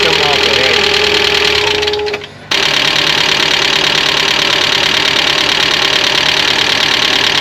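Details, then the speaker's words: Mazda Miata on a cold start after sitting for a while, heater on: fast, sharp ticking about three times a second over the idle. Lifter tick on cold start, which mostly went away once the engine warmed up. "very long very long very long dude that LIF tick sounds bad"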